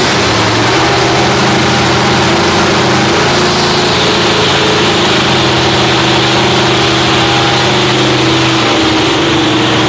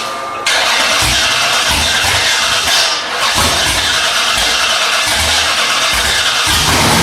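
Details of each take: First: Freshly rebuilt Holden 308 V8 with roller cam, bolted to a part chassis without body, first start after teenager's rebuild: steady, even burble at idle, smooth firing, no knocks or misses; running normally. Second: Freshly rebuilt Holden 308 V8 with roller cam and old carburettor, on a part chassis, first start attempt: loud steady cranking with regular starter beat that never catches; no fuel reaching the engine.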